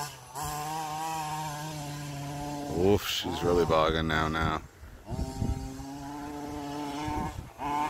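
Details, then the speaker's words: Losi 5T RC car two-stroke on a track run during tuning: steady buzz, then it stumbles and bogs on throttle once hot, though it runs fine cold. Owner suspects the carburetor or airflow and plans to change the carb. "I'm gonna change in that carburetor once it's cold it runs fine soon as it heats up it sucks the ballgame"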